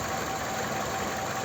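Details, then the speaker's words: Toyota Camry XV30 2.4 2AZ-FE, owner's complaint was a cold-start noise, after the balance shaft was restored and a new tensioner fitted, hood open: even, steady idle with no balance-shaft rattle or whir; normal idle. "открываю как она уже работает уже нет вот этого шума балансировочного вала нет"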